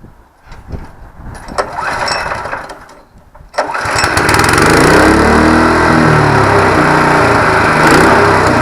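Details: ATV flail mower on its engine, with the flail shaft spun to 1700 rpm on a lathe: after failed pulls it runs with a wavering, throbbing drone and the engine vibrates. The flail shaft is out of balance and is going for balancing.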